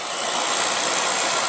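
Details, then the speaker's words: Beckett oil burner, two-pipe pump, Carlin Pro-Max control with TT jumped: steady even airy blower rush, no knocks or flutter, during pre-purge before 3-second pre-ignition and 15-second delayed oil valve; normal pre-purge. "now let's exit and we'll run this pre- ignition 3 seconds delayed oil"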